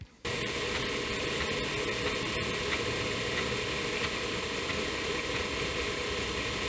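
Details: Floppy drive spindle heard through a plastic hose while tested with an Apple IIe: even, steady whir at one pitch with a few light ticks, no speed change; IIc drive speed issue suspected from a IIc power supply fault.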